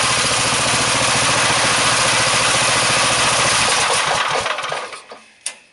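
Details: Small single-cylinder engine driving a DC generator at a 3:1 pulley ratio, output at 38 volts: it thumps along steadily, then sags and dies within a second of the power switch being thrown. It bogs under the alternator load.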